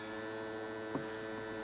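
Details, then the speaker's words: SEI trim pump kit with new lift cylinders on a 1976 StarCraft boat with a Mercruiser 120 hp, trimmed all the way up. The pump gives a steady even electric hum and sounds much better now that the air is bled out. "all the way up now pump sounds much better once you get all that air out hear that little sound there that was a little more air getting out of there"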